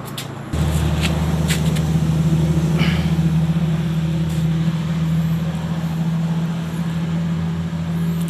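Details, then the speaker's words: Electric fan that howled and stopped spinning, after repair: even low motor hum starting cleanly at speeds 1–3, no howl or rubbing; now runs normally. "เสียงเงียบเลยครับไม่มีหอนไม่มีอะไรละเสียงหอนก็หายไปแล้วครับแล้วก็ทำงานปกติ"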